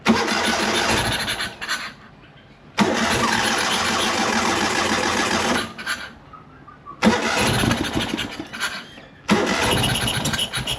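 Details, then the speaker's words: Ural Soviet sidecar motorcycle after two months of repairs for an engine noise, throttle-body electrics cleaned: engine fires in rough bursts and dies with odd rattly sound on starting; owner suspects electrical fault from battery short circuit, not engine; crankshaft position sensor to be tested. "Oh! Que barulho estranho. Para mim, não é problema do motor. Então é um problema elétrico, provavelmente causado pelo curto-circuito da minha bateria."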